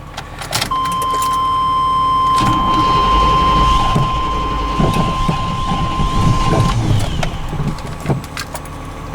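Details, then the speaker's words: Plow truck with suspected bad old fuel and possibly gummed injectors, after a fuel pressure check, cold start: fires, then idle stumbles and hunts unevenly under a steady high tone, never settling; rough idle. "Ooh. It did start up there. Did start up, just not idling right"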